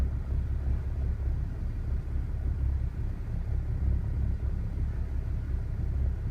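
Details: BMW E60 535i cold start: low, lumpy idle that swells and dips unevenly a few times a second instead of running smooth, cause unknown; rough idle.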